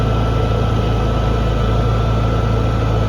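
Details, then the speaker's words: Honda EU6500is inverter generator after replacing a failed GCU (no spark), stored about 2 years. Running at 3,300 RPM with the battery charging. Steady, even low drone with a faint whine, holding speed smoothly: normal running. "So we're running at 3,300 RPM. Battery's charging up, which is a good sign."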